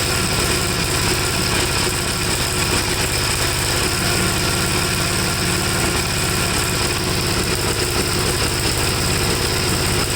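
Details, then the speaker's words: 1954 Gravely tractor, hot single-cylinder engine started without choke, seemingly flooded: loud thrum with an uneven, lumpy beat. Runs rich and stalls when leaned even after carburetor cleaning and a swap; black, fuel-fouled plug. Cause not confirmed. "it seems to me for that little bit that it ran that it's doing the same exact thing so i'm going to try to start it up without the choke on i'll turn the gas on so seems like it's flooded already but so so"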